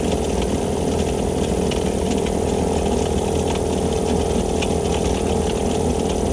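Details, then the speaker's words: Cheap Vevor air compressor pump running after a homemade head gasket fix: loud, rough, uneven pumping with rattly clatter; owner suspects a bad bearing somewhere low in the unit, not yet checked. "sounds like I might have a bearing going down too I didn't to check that as well should show off any minute it's thix other than sounds like there's a bad bearing somewhere down here"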